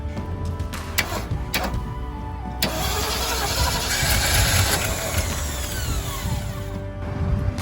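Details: Jeep CJ5 V8 that hasn't run in 25 years, given new plug and coil wires and repaired grounds, firing on a shot of ether. A few cranking bursts, then it runs unevenly for several seconds before fading. Fires briefly, then dies.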